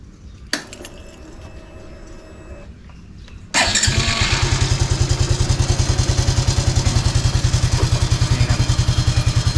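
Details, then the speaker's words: Honda Wave 110i after repairing stripped starter gear, reassembled: quiet quick electric start, even idle thump about three to four beats a second, no gear grinding; normal, though start button not springing fully back kept starter engaged before. "เปลี่ยนไปถ้าการปกติก็มีมันก็เป็นแบบนี้นะครับไม่มีปัญหาครับสตาร์ทเงียบ"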